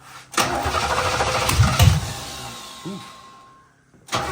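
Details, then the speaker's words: Long-stored 1987 Camaro Z28 with spark verified and stale fuel: short cranks that catch only while fuel is sprayed in, then die; fuel pump builds no pressure and the tank is found empty; crank-no-start from fuel starvation. "so it'll run while we spray fuel in it but yes doesn't S like the fuel pump is building any pressure may not have any fuel in it"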